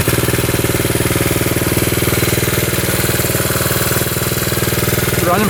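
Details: 1972 Honda CT70 single-cylinder, all-original auction bike being revived after a bogging issue, idling in neutral, running well with no smoke; quick, even beat at steady loudness, no misses; healthy normal idle.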